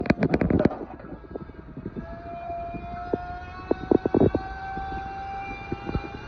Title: The toilet, making noise like a sander or a fire engine